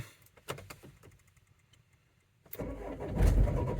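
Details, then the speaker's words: 2004 Renault Trafic 1.9 dCi diesel, crank-no-start, battery previously disconnected: quiet clicks then sluggish, labouring crank with dull low thumps that never catches; cranking sounds weak, so a boost pack is added. "oh okay so we're definitely cranking and not starting there so we will get a scan tool plugged in I've got a boost pack as well that I'm just going to put on the battery just because it sounds a little bit weak"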